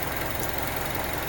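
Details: Mazda CX-7 2.5 L DOHC 16-valve variable valve timing non-turbo engine, about 126,000 km, after cold start at minus nine degrees; soft even idle pulse, steady low rumble, no knocks or misses; normal idle.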